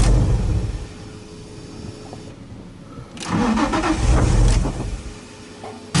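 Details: Flood-damaged Nissan 350Z that sat over a year, on old fuel, after the mass air meter was fitted: a short crank, then the engine catches and settles to a low, even idle with no stumbling.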